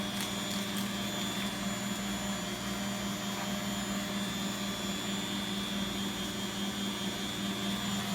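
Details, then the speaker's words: Beko WX842430W washing machine on 1400 rpm spin: smooth even hum with steady low tone, no knocks or scraping; drum spinning fine. "sounds like it's going even faster now 1400 spin is quite fast"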